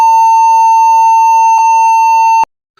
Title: laptop beep sound during startup |Laptop Beep Sound problem |Laptop Beep on display and won't turn t